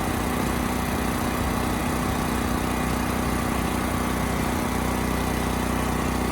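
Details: Westinghouse 7,000-watt generator after carburetor cleaning, carrying 3000-watt load: even, constant engine note, no hunting, misfires or knocks. Multimeter confirms around 60 Hz target; Kill-A-Watt meter jumps to 75–80 Hz.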